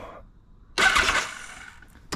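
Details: 1982 Kawasaki KZ1000 LTD that sat about 35 years: a short whirring burst as the starter spins the engine over, then a click; it cranks normally after wiggling igniter-area connectors restored power.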